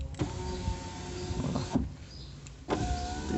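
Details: VW Voyage driver front door power window after cardboard shim added and rail greased; steady even motor hum in two clean strokes, no scraping or knocking; glass travels smoothly.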